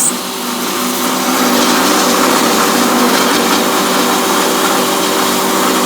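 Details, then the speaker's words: Logosol PH260 planer/moulder running, right-side lead cutter head: loud steady high whir with a gritty growl and faint pulsing; head bearings shot, likely undersized for the load. "that's bearings that's what that is too heavier load on too much of a toy bearing the bearings are shot in the lead head which is the right side"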